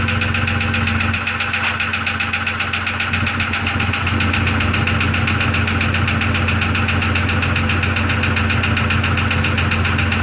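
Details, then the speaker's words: 2002 Jeep Grand Cherokee Laredo in cold weather idles steadily with a light, regular ticking knock about three or four per second, seeming to come from the rear; owner suspects a piston or valve. "to me it sounds like it's coming from more back here [Music] it's going to be either one of these pistons or a valve down here so i'm gonna have to take this valve cover off"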